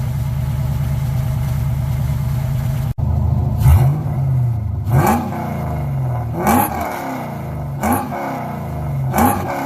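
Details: Car "Suzie" just after new starter fitted, started on a weak battery; lumpy loping idle sounding like a roller cam, then several clean throttle blips; fired up right away, runs fine.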